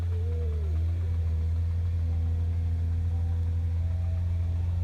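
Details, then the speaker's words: Nissan GTR at idle: a heavy low drone with a faint wavering whine on top. Rough driveline noise; a bad transmission or flywheel is suspected, not confirmed. "Have you ever wondered what a GTR transmission sounds like?"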